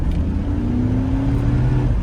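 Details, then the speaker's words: GMC Yukon after replacing a cheap fan clutch with an AC Delco 15-4694, road test at full throttle: engine pulls hard with a climbing drone and no roaring fan; the fan clutch releases properly, problem fixed. "oh yeah you can't even hear that fan that is what we're talking about absolutely perfect problem solved"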